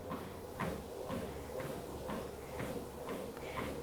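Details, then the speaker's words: Wellfit TM029 compact treadmill at 3 mph: soft, regular footfalls about twice a second over a faint, quiet motor hum, little foot noise or console shaking; runs smoothly without strain. "So, right now, I'm going 3 miles hour. The motor sounds fairly quiet. There's not too much foot noise."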